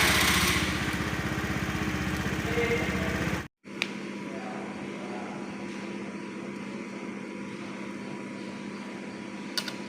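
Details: Honda Scoopy-i scooter that wouldn't electric-start, starting after replacing both faulty left and right brake-lever switches (battery fine): small engine catches and settles into even steady idle; normal start.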